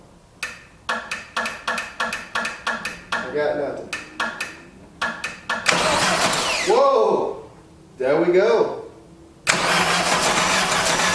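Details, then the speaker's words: 1989 Dodge Daytona ES salvage car that sat, engine said to lack compression, starter just fitted, clutch pedal down: quick even cranking about three pulses a second, starter turning engine strongly without flywheel grind. "she turns over she woke up folks all right so that sounds good"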